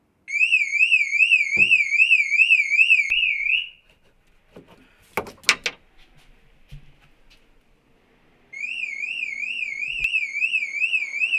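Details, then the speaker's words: VW Polo 6N2, off the road for 6 years, with no immobiliser or central locking: loud warbling siren cycling, stopping and restarting; the car alarm is going off and needs disconnecting. "so I don't know if you can hear me over the bloody annoying alarm but we need to disconnect it"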